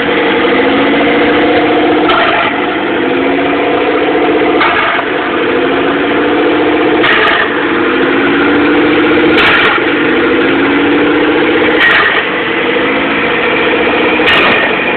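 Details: 1997 DSM GST with FIAV bypass plate, EGR block-off, vapor canister and vacuum lines removed, EVO III 16G turbo, manifold and O2 housing, no downpipe: idle swells and drops about every 2.5 seconds, surging, cause unknown.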